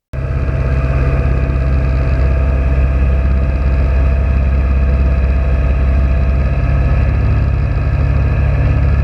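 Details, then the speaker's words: Old MerCruiser 120 sterndrive on an abandoned boat, first water run in over ten years: even, deep, steady running with no misses or knocks; engine sounds healthy (gas tank has pinhole leaks, to be replaced). "let's end here for today but leave with some good vibes and listen to this old merc cruiser run"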